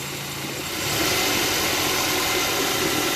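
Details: Petrol engine with a new accessory-belt tensioner idles evenly with a steady hiss and no belt squeal or rattle; the worn old tensioner spring had caused noise when engaging D or R.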